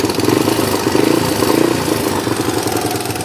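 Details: Yamaha Tri-Moto YTM 200 after getting it running, with loose and missing motor mounts: crisp, even two-stroke burble with a steady beat, no stumbling or misses; running smoothly and healthy.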